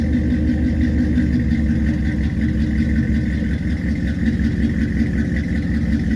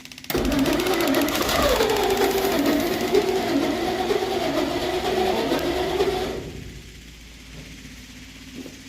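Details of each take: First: 1963 Studebaker Champ pickup, reassembled and spark restored, before road test; fires right up into steady, even idle with smooth low rumble, no misses, knocks or ticks. Normal idle. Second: 1963 Studebaker Champ pickup, points filed, electric fuel pump, tank likely empty; engine runs about six seconds with wavering, sagging speed, then dies. Fuel starvation stall, electric pump suspected not pumping.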